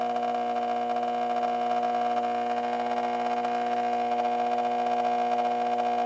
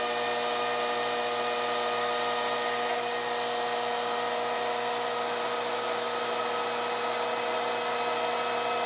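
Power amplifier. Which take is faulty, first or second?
first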